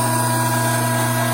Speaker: ed sound is created by those now vapor-filled cavities making their way to the discharge side of the pump, forced to implode on their way out.